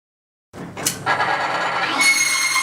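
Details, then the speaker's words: Timken bearing test rig under a 5 lb load, lubricated with Rem Oil: a sharp metallic squeal rises within a second into a steady high shriek, smoke starts instantly, the lubricant fails within 2 seconds and the bearing is significantly damaged. "the smoke starts instantly and the lubrication fails within 2 seconds again the bearing was significantly damaged"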